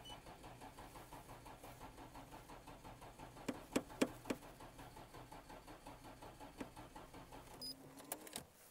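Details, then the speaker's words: Nissan GT-R (NISMO) on a very cold day: slow labored cranking around four beats a second that fades without catching, slightly weaker than earlier despite a brief charge; battery flat, no start. "全然回らねーさっきよりからちょっとせるもあったけどね"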